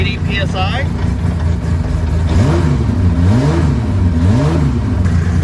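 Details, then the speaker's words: Datsun 280Z GT2 race car running for the first time in many years on leaded race fuel. Low, even rumble with quick, clean throttle blips that rise and fall smoothly, and good oil pressure: a normal start. "Let's try to start it. All right, ignition on and start. [Music] It's running. We got good oil pressure."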